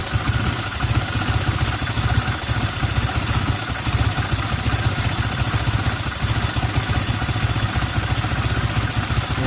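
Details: 1990 Toyota Celica Alltrac (ST185) idles rough and dies as soon as throttle is given; uneven, lumpy, hunting idle about three beats per second. New plugs, wires, cap, rotor, fuel filter; vacuum gauge at throttle body; vacuum leak suspected, unconfirmed.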